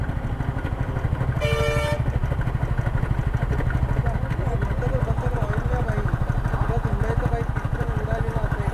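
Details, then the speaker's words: Yamaha R15 V3 on a ride, oil leaking and a smell: engine runs with a rough, regular knock about three times a second plus a brief horn toot; noise started a little earlier, engine later seized; abnormal engine noise, cause not confirmed. "कुछ समय पहले कहीं एक आवाज़ ये शुरू हुआ।"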